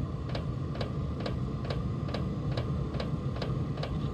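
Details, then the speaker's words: Chinese diesel parking heater at startup on an under-charged battery, about 9.3 V at fuel-pump start: steady fuel-pump ticking about twice a second, but the heater fails to fire because the battery voltage is too low. "an air one it was about ready to go so that battery is a hair too low to make this run"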